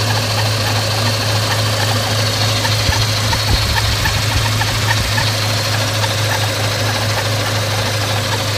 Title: Scion FR-S Kraftwerks SC loud noise